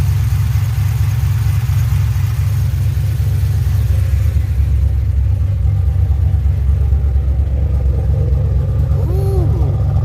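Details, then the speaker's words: 2007 GXP with Sloppy Stage 3 cam, VATS and DOD deleted via HP Tuners, first start-up idle after retightening loose front rockers: heavy lumpy V8 rumble loping about twice a second, no popping or ticking; loose-rocker popping fixed, healthy idle. "okay hey well she fired up and she's not making the popping noise so it was definitely those rockers being loose on the front"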